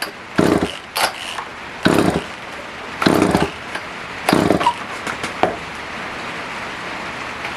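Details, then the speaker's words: Older Poulan 1800 Wood Shark chainsaw, no-start repair, on choke: short bursts where it catches, sputters and dies, starved of fuel. Carb jets were found way out; owner suspects it needs a carb kit. "Just by the way it's acting, it's not really wanting to pull a lot of fuel. It will pull tank fuel, it's just not a great amount enough to run."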